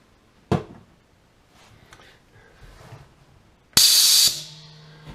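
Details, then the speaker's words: Auto tank drain valve on a 5 HP single-stage twin-cylinder 60-gallon compressor air system for a CNC plasma table, set to half a second every 45 minutes, fired with the test button: a click, then a sharp half-second hiss tailing off, purging moisture normally. "i've got it set on half a second every 45 minutes so that should blow any moisture that gets into the tank out and i'll show you how it works here i'll hit the test button"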